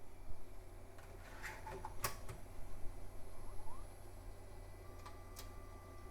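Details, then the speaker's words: Early-2000s AOpen CustomPC Zip drive: a few light clicks, then a soft rising whir as the disk spins up with no grinding; a normal spin-up. "okay that's a normal sounding spin up and we're doing okay"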